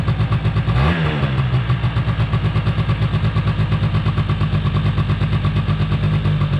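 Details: 2005 Polaris Predator 90 two-stroke quad, long-sitting, has a high idle. Spraying brake clean did not raise the idle, and an exhaust-area leak is suspected. Small blips, then a fast, steady pulsing idle that never drops; cause unconfirmed.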